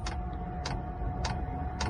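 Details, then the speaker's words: Chinese parking heater, first start after summer, already ignited: crisp, even dosing pump tick roughly every half second over a soft, steady burner rumble; no smoke from the exhaust; normal running. "Die Pumpe klackert. Die Heizung läuft."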